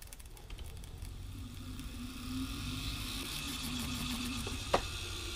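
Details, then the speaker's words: Brushed DC electric motor brought back to life: a steady low whir with an uneven, wavering note and a couple of sharp knocks. It runs roughly; the brushes are getting cooked and may be welding to the brass commutator. "not the happiest thing in the world but it actually does work that's pretty cool"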